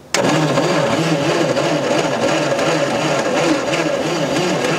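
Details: Old Allis-Chalmers FB20-24 2,000 lb forklift at about 30°F after head work, ether used the day before, spark unconfirmed: steady rhythmic cranking with no firing or catch. Battery is getting weak; cranks but won't start.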